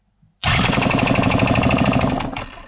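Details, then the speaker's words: Yamaha TDR 125 two-stroke engine check with ignition cover removed, starter powered by a booster: cranks briskly and evenly with no resistance or suspicious noise, compression puffs audible from the exhaust, so the engine seems roughly good. "on l'entend il tourne bien il y a pas de problème il y a pas de résistance rien on l'a ressenti à la main il y a pas de bruit suspect à première vue on entend bien le démarage déclencher on entend bien la compression ressortir de l'échappement donc on peut se dire qu' à peu près il est bon"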